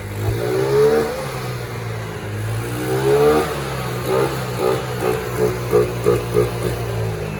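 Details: Yamaha Mio Sporty, sat dead for two years, original engine, started with a rope after carburetor cleaning (old fuel had turned to thinner, leaking fuel complaint): steady low single-cylinder drone with quick clean throttle blips; runs normally.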